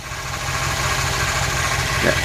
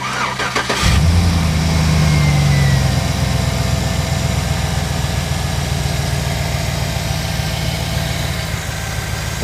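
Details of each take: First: 2009 Chevy Silverado engine idling, thin steady whine over the rumble heard via hose at an idler pulley; bad idler pulley bearing, not power steering, to be fixed by replacing the pulley. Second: 2009 Chevy Silverado after a pulley was found with a hose listening tool: cranks, catches and settles into a smooth, even idle. The earlier whine, thought to be power steering, is gone.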